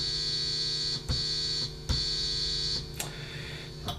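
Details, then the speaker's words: Mid-1970s Fender Jazz Bass with vintage single-coil pickups, before mod: harsh, bright buzz through the amp when the exposed pole pieces are touched, shifting with clicks. Capacitive interference buzz, not 50/60 Hz single-coil hum. "yeah you get a pretty nasty buzz through your amp now that buzz is not from you know 50 hertz hum or single coil hum or 60 hertz i guess depending on where you live it's actually something quite a bit different"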